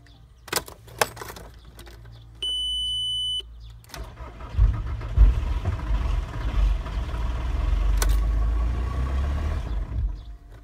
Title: T5 axd odpala i gaśnie